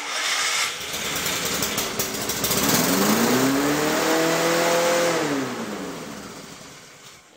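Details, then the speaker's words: Lawn-Boy mower that revs too fast on starting: pitch climbs and holds far too high. Governor spring or adjustment suspected at first, but a different issue was later found. Engine overspeed. "she rubs pretty high that's not good"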